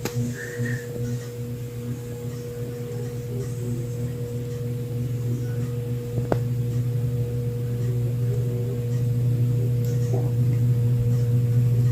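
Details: Craftmade Brilliante ceiling fan, nearly 5 years old, on low speed: a constant low hum with a steady higher tone over the air noise; the motor buzzes and the fan wobbles slightly; cause not found.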